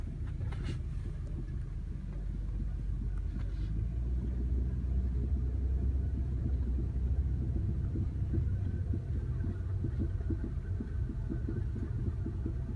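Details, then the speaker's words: Rear struts knocking while driving cold, until they warm up: loose irregular rattling knocks from the rear over bumps under road rumble; owner confirmed the struts by removing their lower mounts, replacements ordered. "Это именно стойки тарахтят. Уже проверено. Снимал, откручивал нижнюю часть. Это именно тарахтит стойка."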